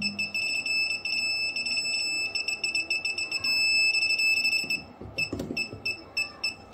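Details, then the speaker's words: PeakTech P 3432 non-contact fuse finder: high-pitched beeps come quickly, then merge into one steady tone for about a second with the receiver over the breaker; fuse number six located for the socket. "I think this was this is our fuse number six so for this ones it's just beeping slightly but we found our use number six"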